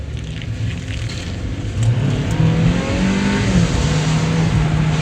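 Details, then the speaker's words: Chevrolet Cruze on a road test after its bad-turbo complaint: the engine pulls hard and cleanly as revs climb, a smooth rising note with no whistle, flutter or hesitation, a big improvement; the turbo is boosting normally. "I haven't even made it around the block once and I can already feel a very big improvement [Music] that turbo is working overtime"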